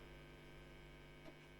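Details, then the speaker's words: Fender Super 60 combo guitar amp with clean-channel volume not going to ground: constant low steady hum with nothing playing on the clean channel; possibly a dry joint, unconfirmed. "there's also quite a hum on this"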